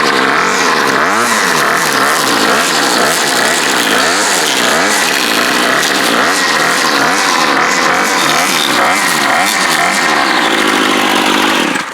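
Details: Bolens BL110 25cc trimmer after new carb, fuel lines, fuel filter, spark plug and air filter, no carb adjustment needed: crisp two-stroke buzz revs up and down cleanly without bogging; normal running.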